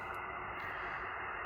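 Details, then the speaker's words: HF amateur-band receiver tuned across frequencies to an empty spot: steady, rough, loud hiss with a buzzy edge at about S9, no voices; power line interference. "If I move through the frequencies, you see essentially the same behavior here about S9."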